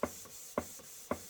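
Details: Model 19th-century Mary beam engine, first run in years on compressed air after oiling, run slowly: even puffs about twice a second, crisp beat then softer one; runs smoothly, timing untouched.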